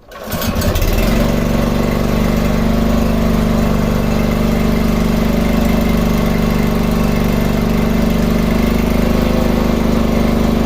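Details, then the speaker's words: Sanchin 30 steam sprayer pump after repairing the klotok knock, thought from a loose bearing or connecting rod, and refilling about half a liter of oil to cover the crankshaft: steady even pumping drone with no knocking. "oke selesai permasalahan selesai tidak klepek-klotok lagi terima kasih"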